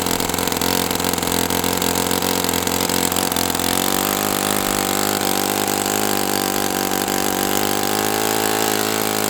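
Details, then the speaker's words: OS FS60 open-rocker glow four-stroke on a test stand, first run after years in storage; carb needle at two turns with the fuel-tube trick and it ran very warm. Owner unsure if overheated, compression good, but it buzzes high and stumbles. A loose rocker-arm nut was later found, so valve lash may be too wide. "So, I don't know what's going on with this thing. It's I don't know if I overheated it or what, but compression feels really nice, but it is very unhappy with life right now."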